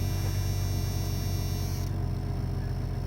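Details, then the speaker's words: Newly acquired work yard car idling just after start-up with a deep, steady rumble, an even beat and no ticks or stumbles. Owner says it runs and drives excellent. "I really like this car a lot I mean I like it a lot it runs and drives excellent"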